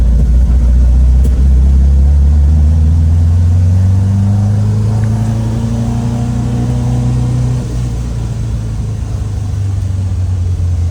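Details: 1967 VW Type 3 Squareback, first drive after engine install; smooth low engine note climbing steadily through the gear and settling, no misfire or knock, feels more powerful than before, normal running under acceleration.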